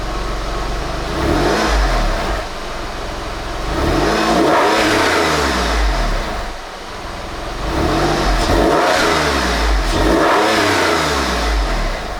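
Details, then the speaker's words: Salvage Porsche 996 911 flat-six after an oil change replacing decade-old oil, revving up and settling in smooth sweeps, pitch climbing and falling evenly, no knock or tick; sounds a lot better. "[Music] Sounds a lot better."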